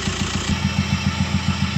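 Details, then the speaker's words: Audi Allroad quattro with swapped 2.0 TDI, fabricated exhaust, stock Allroad rear mufflers, heard from the rear: even low exhaust pulses about seven a second with turbo sound, no misses or rattles; running smoothly. "I get in the car here just wanted to show if you can really hear the world of the turbos back here I'm still running the Allroad stock rear mufflers"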